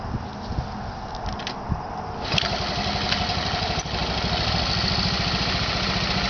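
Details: Honda Z50 engine starts on first kick and settles into a quick, even putter of about four beats a second, no weird noises, knocks or rattles, no leaks; healthy engine.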